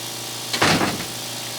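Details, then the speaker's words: Harbor Freight vacuum pump feeding a homemade woodworking vacuum clamp through quarter-inch tubing: steady low motor hum with brief rush of air as suction takes hold; pump running and pulling vacuum normally. "so I turned the pump on so you can hear it running you can hear the vacuum you know start to take"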